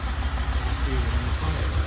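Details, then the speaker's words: Volvo V60 estate, a non-runner, started: a lumpy, uneven idle with a stumble, sounding like it runs on only four cylinders; a low-compression misfire. "sounds like it's only running on four to me it does run though"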